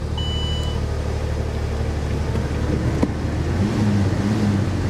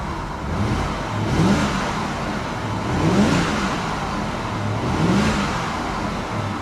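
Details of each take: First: C4 Corvette at a salvage yard, jump-started, possibly long sitting: the idle is lumpy and uneven, with the low thrum stumbling about three times a second. A cylinder is misfiring badly at idle. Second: Car with iDrive, seen at a salvage yard with a service engine light on: three clean throttle blips, revs rise and fall smoothly with no knocks, misses or rattles; engine sounds healthy.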